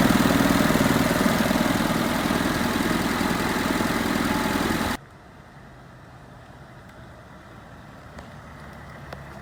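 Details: 1987 Suzuki Samurai with an '89 Geo Tracker I4, after repair for a suspected blown head gasket: steady, even fast idle with no knocks or misses; running normally.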